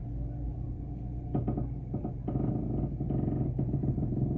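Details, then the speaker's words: Car idling at standstill with windows closed, bursts of creaking and knocking from the front suspension each time the steering wheel is turned, worse while steering. "quando você mexe o volante faz mais ainda tipo um rangido"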